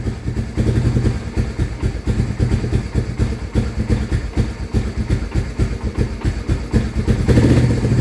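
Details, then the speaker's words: 1993 Honda Fourtrax 300 ATV: slow, loping, uneven single-cylinder idle that sounds ready to die. Owner thinks it idles far too low; it previously quit after about 10 minutes with rod-knock sounds. Rough low idle. "it runs and it idles. It just does that. And I think it's idling way too low to be running."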